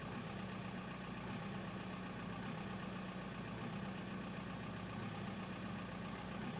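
Quiet diesel idle with an irregular clatter and periodic dips in the beat; uneven running from faulty injectors.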